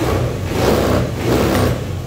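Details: 2014 Honda Beat scooter after replacing a weak fuel pump that caused stumbling and stalling: small engine picks up cleanly on each throttle blip and settles back without stumbling; healthy response, normal revving.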